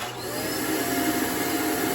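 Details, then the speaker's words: Shark Navigator vacuum, clogged by a sucked-up cleaning glove, running before the hose is attached: steady, smooth high-pitched motor whine with even airflow, sounding normal. The noise and lost suction appear only once the blocked hose goes on. "sounds like a normal vacuum then when I put this on you can hear the noise"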